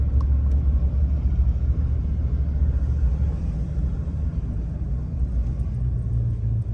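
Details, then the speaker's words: 2014 RAM 1500 5.7 HEMI 4x4 test-driven after new front pads and rotors, bedding in gently: only steady low road rumble, no scraping or grinding when driving or braking; earlier scraping gone, brakes normal. "Okay, so far it sounds good. I don't hear any scraping or anything like it was before."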